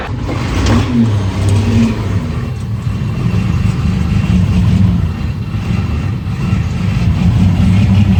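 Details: Old Terex articulated dump truck diesel after an ether-assisted start on a warm day: deep, steady rumble settling into an even warm-up idle while building air pressure, no knocks or misses; healthy engine.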